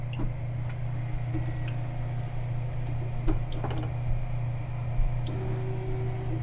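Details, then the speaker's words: Tevo Tornado 3D printer converted to MKS-Robin board with TMC2209 drivers, auto-homing with hotend at 205 and bed at 50: steady fan hum from underneath covers faint soft axis ticks; quiet, healthy stepper drive. "on voit, elle est vraiment pas bruyante. Ce qui fait le plus de bruit présentement, c'est mon ventilateur ici en dessous."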